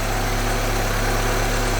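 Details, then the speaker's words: GTI engine swapped into a 1974 VW Passat B1, first running after ignition timing was set with a timing light: low, even idle with a steady beat and no misses or hunting. Smoke is only grease burning off the exhaust. "And as you can hear, the engine's running sweet."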